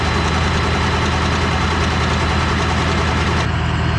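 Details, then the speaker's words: Ford F250 7.3 Powerstroke diesel after injector replacement, cranked on two trucks' batteries: fast, uneven starter churn with faint clicking, never fires. More oil pressure than before and injectors heard firing; cause unconfirmed. "that didn't no good whatsoever"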